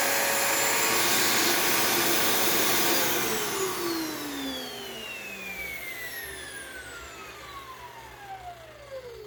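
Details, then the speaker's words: Dyson DC28 Animal vacuum: harsh, high whirring motor that falls slowly in pitch after switch-off with a fast rattly clicking on a long wind-down; owner unsure whether the motor or cleaner head is at fault, suspects the cleaner head. "Motor on this doesn't sound too good, but I don't know if that's the motor or if that's the cleaner head. It sounds to me like the noise is coming from the cleaner head, because there's also that like brr, that like clicking noise when it winds down."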